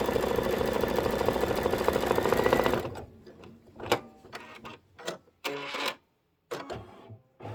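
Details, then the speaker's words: Embroidery machine doing decorative stitching on a Kimberbell Soft Serve block: fast even needle chatter about three stitches a second, lighter and hollower than normal, then stops; running with no thread. "I was across the room and I heard that. I could actually hear that. You know how you can hear it when there's no thread in it?"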